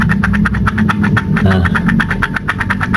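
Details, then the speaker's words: Yamaha Aerox 180cc bored-up scooter, one year after boreup, RX7 63 block, engine rough: coarse rapid clatter and low rumble from a damaged, chipped camshaft bearing, rough when turned, under pressure, and hot. "suara bearing lenas yang udah rompal sepertinya ya"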